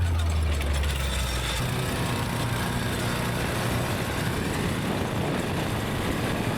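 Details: Go-kart small engine after sitting about 3 years, fresh fuel, after a run up to about 35 mph: steady, even low rumble with no misses or knocks; motor cleared out, idles and runs smoothly, normal running.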